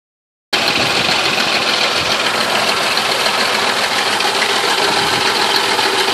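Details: 2000 Ford Crown Victoria Police Interceptor 4.6L 2V V8 at idle: constant dry, raspy grinding and rattle from the timing chain area; worn timing chain guides/tensioner arms (aluminum base, nylon surface), per TSB 03-15-7.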